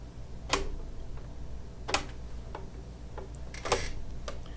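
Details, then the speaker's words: Baby Lock circular sewing attachment on an Altair machine: sharp, separate clicks about a second apart as the slider, released by its button, is slid down the millimetre circle-size scale and snaps into each notch; detent engaging cleanly. "i can hear it i don't know if you can hear it i'm going to stop talking and maybe you'll hear it click into each notch"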